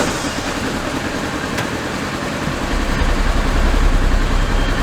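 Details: Ranger side-by-side after new voltage regulator fitted to cure charging issue, radiator clogged and not yet cleaned: steady low idle chug with even beat, no knocks or squeals; healthy.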